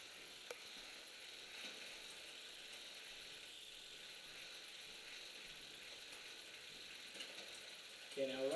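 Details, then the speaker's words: Bicycle rear derailleur out of adjustment: faint ratcheting whir with scattered pops as the chain hops between fourth and third cogs without staying in either. "here you can kind of hear it popping making some sounds um you'll also notice that it doesn't really want to stay on one gear or another"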